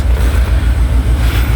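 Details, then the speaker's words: Peugeot 807 with EW10 engine, check engine light and anti-pollution fault: low lumpy idle with an uneven pulse, a beat dropping out now and then; cylinder misfire from faulty injector. "Guys, lagi-lagi mesin EWS10 yang berada di wisut 807. Pincang. Cek engine menyala."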